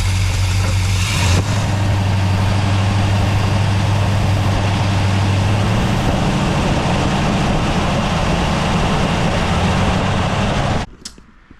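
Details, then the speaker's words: 1970 Dodge Charger V8 in neutral after a torque converter swap, converter bolts tight, good oil pressure: low, steady idle with a faint uneven tapping about three to four a second that comes and goes; intermittent knock, source unknown, owner fears the engine. "It doesn't make it sound all the time, but as you heard just now, I mean, it's pretty bad."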